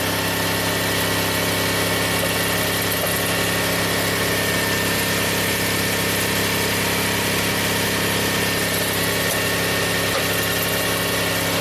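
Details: 2000 Toyota Sienna, 1MZ engine, 540,446 miles on the original drivetrain, brought in running rough with P0305 and a blinking check engine light: smooth even idle with faint belt whine and no misfire counts. Normal idle.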